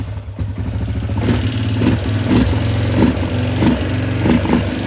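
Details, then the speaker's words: Yamaha Grizzly 600 single cylinder after carburetor rejetting, valve clearance in spec: uneven blips with hollow metallic clatter each rev, poor throttle pickup even with choke; piston rocking in cylinder bore, piston slap first mistaken for valve tapping. "So what was going on, it was rocking back and forth into that cylinder bore, and that's what we were hearing. What I originally thought was valves tapping was actually piston slap."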